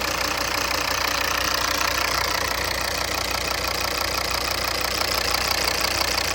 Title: Volvo v40 CC D3 2014 - engine knocking noise with vibration